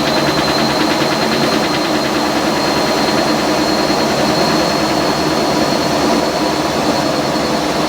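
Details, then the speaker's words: Restored Fisher & Paykel top-load washer, heavy-duty cycle with large load: loud steady even whir with thin high tone during spin, normal. "of course the loudest this thing is during the 1000 rpm spin final spin"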